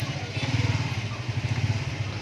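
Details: Honda Vario 110 carburettor scooter stumbles and dies on throttle (brebet), running with an uneven, lumpy, surging beat; suspected causes are fuel, ignition/electrical or compression (valve clearance), not confirmed.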